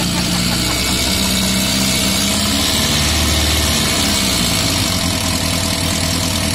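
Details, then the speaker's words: Yamaha Fazer FZS 600 first start-up with fuel leaking from a carb bowl: four-cylinder idle with fast, light tapping about four per second; owner suspects the valves probably need adjusting. "The engine sounds a bit, you know, tappity, valves probably need adjusting. That is something we can do, that's not a huge issue."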